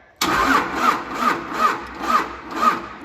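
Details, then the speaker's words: 1953 Mack A40 truck swapped to a 24-valve 5.9 Cummins diesel (from a school bus), on a jump pack via alligator clips: starter drags engine slowly, about two labored turns a second, never fires; slow cranking, battery suspected dead. "oh this sounds so sad ta-da a nice antique probably dead battery"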